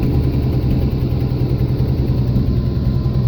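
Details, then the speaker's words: 1979 Jeep CJ5 with AMC 258 inline six, just bought, only runs on full choke: deep, uneven idle pulsing about three times a second, lumpy as choke comes off; rough idle, poor carburetion suspected. "okay well this thing goes wrong but it'll only run with a choke on so the car paint's cleaned up [Music] but that could be because the poor carburetion"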